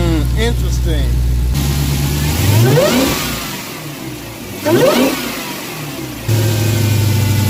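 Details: Dodge Hellcat V8 with a K&N drop-in air filter replacing the stock one: idle, then two sharp revs where a high supercharger whine climbs and falls with engine speed. Normal supercharger whine.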